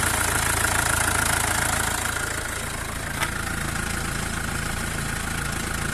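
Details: Mercedes W212 with OM651 diesel, idling with accessory belt removed: steady idle with a regular ticking knock about three per second that persists with the belt off; knocking noise, source still unknown.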